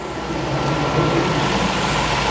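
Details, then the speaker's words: Chevrolet Corvette C4 ZR-1 barn find, first start after ECM repair reflowing cracked solder joints at the connectors: deep, steady idle with no misses or knocks, much smoother than before, good oil pressure. "that sounds really healthy now doesn't it smooth as anything"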